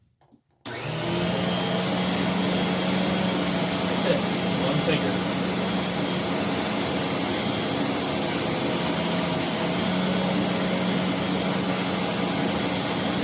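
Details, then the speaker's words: Rainbow R-2800C power nozzle after refurbishment with a new all-bristle brush roll: steady even motor hum with a smooth brush whir, no knocks or scraping, running on its own under light hold; healthy. "I can re-jigger a view so you can see this 2800 literally going by itself hopefully you can see this I turn it on and just hold it with one finger and that's it"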